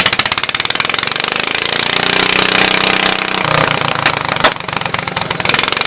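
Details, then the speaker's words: 1974 Case 220 garden tractor, formerly a mud tractor, running after fuel pump and fuel tank work (owner plans a better fuel pump): fast even pulsing with bright rattle on top, steady throughout, no stumbling or misfire, normal running. "I'll put a better fuel pump on the old girl if you can hear me. Now she's singing."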